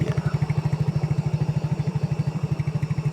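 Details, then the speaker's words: Yamaha Mio J scooter after cam chain replacement, reassembled and started: even, steady low thump at idle with no rattle or clatter; previously loud clatter from slack cam chain, now quiet and normal. "Alhamdulillah ini sudah normal. Untuk bunyinya sudah lumayan adem ya. Sudah tidak gembelak seperti sebelumnya."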